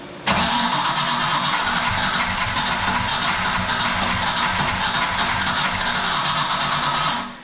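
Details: Project car sitting about 11 years, cranked with no throttle: seven seconds of continuous starter churn with uneven chugs but no catch; extended cranking, no start; voltage read 10.8, reading doubted.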